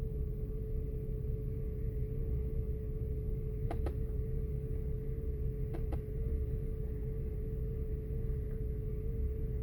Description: 2005 year Audi A8 6.0 W12 - Misfiring in Bank 1 and Bank 2 (1,2,3,4,6 cylinders) and giving error codes related to both Sensors 1 (pre-cat sensors) in bank1 and bank 2.